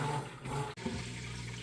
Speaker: Just draining all that water out there. Nice and fast. You can hear it running.